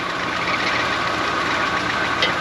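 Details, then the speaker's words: Old Chevy cube van V8, started several times, also with a belt issue; busy idle with light, quick, steady ticking on top; lifter tick. "sounded better every time I started a little bit of a belt issue still is a lifter check but starting up pretty decent"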